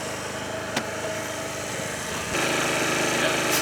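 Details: 2013 Italika Sports City 50cc moped revived after five years sitting, reassembled: light, quick, even buzz holding steady with no stumbling; idles cleanly.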